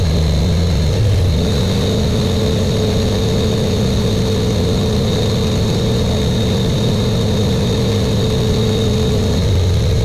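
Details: Buick Grand National with new engine, third and final 10-minute cam break-in run: steady, even fast idle with a smooth low rumble, no misses, knocks or ticks; normal fast idle.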